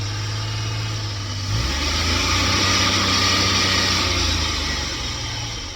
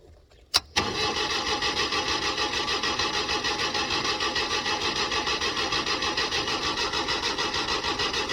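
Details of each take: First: LPG-fuelled car after the over-rich gas mixture was leaned and the air adjusted: the engine runs on with an even low beat and a steady airy hiss, a smooth, healthy normal idle. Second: LPG-fuelled car on a cold morning: steady, even cranking at about three turns a second that never catches; the starter is strong, so the likely cause is an over-rich LPG mixture, too much gas.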